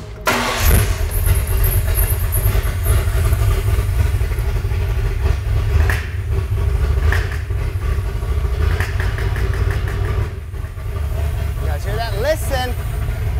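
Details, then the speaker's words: Ford Bronco after sand drag racing: engine catches into a rough run, with a light tapping heard only when revved. Source unknown at first, with lifters, pushrods or piston slap suspected; found to be a worn lifter. "uh that's basically the noise i have no idea what it's from but that's what this video is for today"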